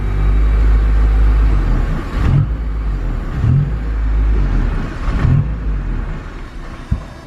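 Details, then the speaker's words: Built K24 turbo EP3 Honda Civic on Hondata KPro: it idles briefly, then the rumble sags and bogs whenever throttle is applied and it drops toward stalling. It won't rev and the cause is not yet found. "weird it would it would idle good like this for a second and then it would it would cut out and die I'm trying to give it gas though and it wants to cut out and die can't give it any throttle"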